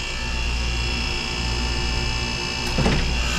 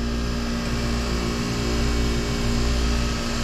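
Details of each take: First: Water-cooled split-system refrigerator on R-404A: steady condensing-unit drone, then a sharp thump as the compressor clicks off and back on. It short cycles, tripping the pressure control at about 350 head pressure, which is extremely hot. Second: Water-cooled split-system refrigerator (pizza dough station) just restarted with condenser water reopened: smooth, constant compressor hum, no surging or chattering. Head pressure holding about 200, not climbing to 350 and tripping; running normally.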